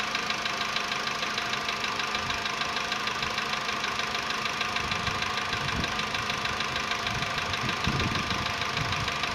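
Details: VW Polo Sedan, CFNA petrol engine, 105,000 km, before decarbonizing: cold start at 20°C after sitting ~15 hours; steady light ticking knock, about two per second, over idle hum; piston knock that fades, gone within a minute.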